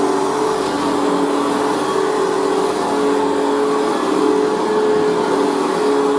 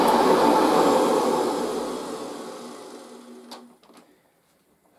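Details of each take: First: Machine boxed for about 40 years and not run in years, on its third position: a steady motor hum with a faint dry scratch from brand-new carbon brushes still bedding in, heard on rundown; otherwise runs very well. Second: Machine, first run after all this time on its highest position off the carpet, gives a strong even motor whir that spins down smoothly when switched off, no grinding; motor sounds healthy, headlight still works.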